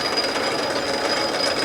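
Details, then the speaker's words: Spring cutoff tool on a lathe in back gear: harsh buzzing squeal and rapid rattle as the tool first bites the stock, chatter that stops once the spring tool compresses and is louder at higher speed; harmless parting tool chatter. "Now when it first starts, this is something kind of unique to this cutoff tool. It chatters."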